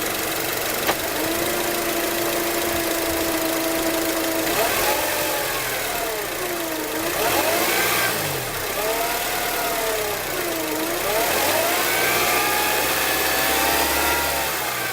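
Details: 2004 Acura TSX, noise present since at least 138k miles and still at 206k, no shifting issues or warning lights: a clear whirring whine rising and falling with revs. Commenters suggest the torque converter; cause unconfirmed.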